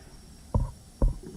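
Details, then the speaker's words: Honda B18C engine from AWD Civic, freshly rebuilt head, leak-down test at 100 psi, about 5% leakage, good compression: two short low gurgling bursts of air bubbling through the catch can; piston ring blow-by, rings judged bad. "yep rings are bad let me let me go over here and listen that's weird because I had good compression in that cylinder but oh yeah yep so we got Blow by getting by"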